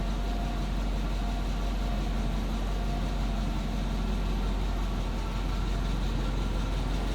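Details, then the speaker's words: 1959 Hillman Husky sedan delivery with small engine, just cold-started, heard from the back seat: soft, steady low exhaust burble at idle, quiet and even with no knocks; sounds healthy. "Hear it run. Obviously pretty quiet. Not a lot of cubic inches pumping exhaust out."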